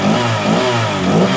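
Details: Honda PCX 150 during a tune-up, revved with the air filter off and the CVT not yet cleaned; the complaint was an unstable idle. Quick throttle blips rise and fall cleanly with no clatter or hesitation; it revs freely and healthily.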